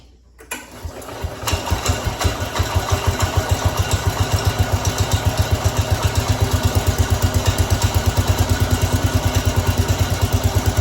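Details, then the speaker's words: Cub Cadet 106 after an oil change: cranks and catches within a second, then settles into an even, steady single-cylinder putter at idle. Runs healthy; brief run to circulate oil before rechecking the level. "All right, now that we have oil in it, we can fire it up. We'll let it run for a little bit, check the oil, because oil has to get up all into the motor because there's the valves that has to get, the oil has to get in the valves."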